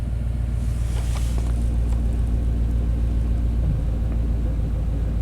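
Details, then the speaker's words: 1991 Chevy K1500 4WD, throttle body injection, surging and stalling complaint. At idle in closed loop the integrator and block learn (down to 102) keep taking fuel away, and the engine starts to stumble: deep, lumpy idle with uneven low thumps from the fuel control fault. "yeah it still taking fuel away 102 128 well oh it's starting it's really starting to stumble"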